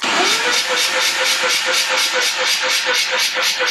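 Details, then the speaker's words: Mazda RX8 rotary engine, compression test on front housing while cranking: about two weak, uneven pulses a second; low compression, engine barely started. "Just when you think it couldn't get any worse, Is it less? it's less again."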